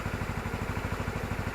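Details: Suzuki Burgman 250 scooter after its charging fault was fixed, voltmeter reading about 14.1 V: even, quick single-cylinder putter with no misses, knocks or rattles; normal idle.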